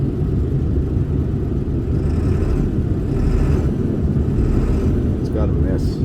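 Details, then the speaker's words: 2002 Ford F350 7.3 diesel towed in cranking with no start, cam sensor found failed, injector driver module code present: rough uneven idle chug on a cylinder balance test, clearly missing; bad injector or IDM suspected, not confirmed. "so I'm doing a cylinder balance test definitely missing"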